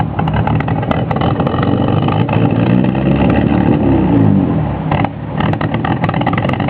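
Low engine note wanders up and down with uneven pulses and a noticeable dip near the end; the idle is lumpy and unsettled.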